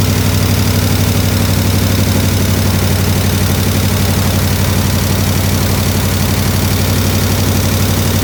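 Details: 1967 IH Loadstar 1600 shop truck V8 during overhaul: deep steady rumble, even beat about four pulses a second, no hunting or hiss, running a lot better, slight tapping suspected from exhaust; settled normal idle.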